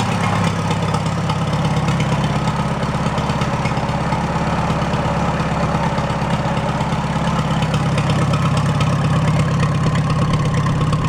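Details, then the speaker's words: Farmall A tractor, newly installed engine, after plugging intake manifold holes; running without coolant or radiator to warm up before valve adjustment: steady, even idle putter with firm low thump, no knocks or stumbles, good oil pressure; healthy. "I'll let it warm up I want to adjust those valves and then uh you finish butting up the nose on the thing sounds good though good oil pressure"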